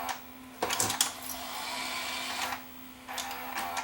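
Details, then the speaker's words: Sony SLV585 VCR after mechanism repair: short clicks as it reverses briefly then shifts to full rewind and fast forward, steady spooling whir. Normal rewind and fast forward. "go into full rewind it'll go into it'll reverse a bit first and then it'll go into full rewind same with fast"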